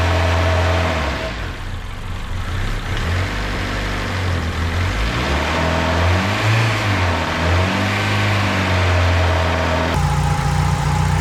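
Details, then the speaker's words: Turbo D16 Honda Civic with a newly installed Speed Factory Savage cam, held at a fast idle near 2000 rpm for about 20 minutes: an even drone with no ticks, knocks or misfires, sounding healthy. "well it's been about 20 minutes is uh that I let idle around 2000"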